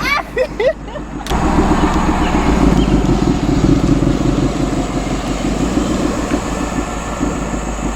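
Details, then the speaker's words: Shelby Mustang GT500 after replacing failed intercooler pump and burnt pump harness, warmed up: hard pull with strong engine roar and even supercharger whine rising under boost; boost restored, earlier whine-like worrying noise gone, supercharger working normally. "Finally running correctly. Finally going into boost now. It just feels so good to first of all hear my car correctly and hear the supercharger again."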